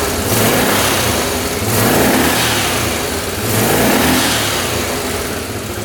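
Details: 1998 Yamaha Grizzly 600 single-cylinder ATV that wouldn't exceed 10 mph, after a new CDI and fresh fuel and oil: revs climb cleanly to high rpm and drop back twice with no popping or stumbling; owner thinks it might be fixed.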